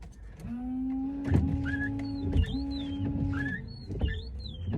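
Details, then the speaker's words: Car with a cheap KMK windshield newly fitted after paint, with brand-new DEA wiper blades: each sweep gives a loud sustained low squeal chirping higher at the end of the stroke. The owner suspects the cheap glass; the cause is unconfirmed. "Прикиньте, всё равно скрипит. Вот так и покупаю дешёвые лобовухи. Я и думаю, что у меня до этого не скрипели дворники."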